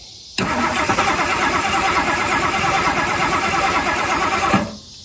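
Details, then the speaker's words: 1964 Mercury Marauder 390 V8 two-barrel, sitting since 1987, cranked with no power to cab (wires likely chewed): steady starter churn about four seconds, spinning evenly but never catching; cranks, no start. "So, wires are probably chewed up somewhere. So, I guess let's see if she cranks over."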